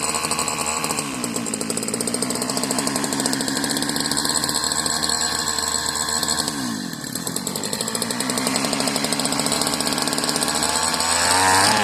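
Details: Marketplace Homelite-type string trimmer, bottle-fed 2-cycle fuel; sticky throttle cable, and dirt blew out of the muffler on starting. It revs high and buzzy with a raspy, uneven warble, sounding off; the owner jokes it seems hopped up. Cause unconfirmed.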